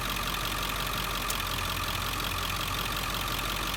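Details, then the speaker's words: 2001 Ford F-350 diesel after fitting a new, tighter serpentine belt (tensioner pulley replaced 11 months earlier): steady even idle, no chirp or squeal; owner had suspected a bearing, but the old belt was the cause. "All right, let's try it. It'd be wild if it was just the belt. I've been thinking it's been a bearing this whole time."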